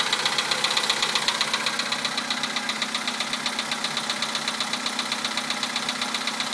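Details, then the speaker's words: 2011 VW Polo sedan, 64,000 km, Liqui Moly Molygen 5W-40 changed 200 km ago, 98-octane fuel, cold start at +2°C: steady crisp ticking knock about 94 per minute at idle, worse with mileage; cause unknown. "Такой вот неприятный стук. Уже задолбал."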